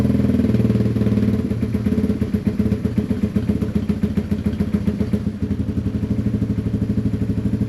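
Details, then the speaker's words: Yamaha TW200 single-cylinder, long-sitting, running on half choke: fairly even, steady thumping at about four beats a second; steady idle on half choke. "That's half choke. Not sounding too bad, is it?"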